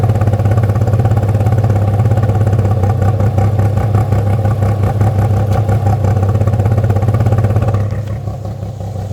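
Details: Toyota MR2 with 3MZ V6 running with a choppy, uneven beat around three pulses a second and heavy low drone, easing near the end; weird noise, cause unclear.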